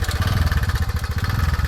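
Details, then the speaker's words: TVS Ntorq 125 fuel-injected scooter after repair of engine noise: small single-cylinder idling with even steady putter, no ticking or rattle on top; normal idle. "तो guys सुन सकते हैं यह हम लोग का scooty बनक तैयार हो चुका है और आप लोग आवाज सुनिए कितना बढ़िया आवाज दे रहा है"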